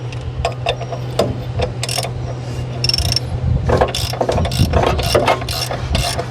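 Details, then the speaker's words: 1976 Triumph Spitfire 1500, sat for years, first cranking attempt: irregular metallic ratcheting and grinding while cranking, as if the starter were only half engaged with the flywheel; it then disengaged and the engine turned over freely. "sounds like the starter was halfway engaged but it disconnected now it's turning over really nice and free"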